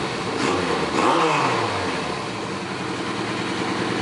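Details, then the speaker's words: Suzuki GS850 motorcycle after carb tuning: a quick throttle blip where revs rise cleanly and drop back to a smooth idle with no bogging or popping; crisp response, low and mid-range dialed in, mains still to be re-jetted. "that's pretty dialed in for the low and mid-range"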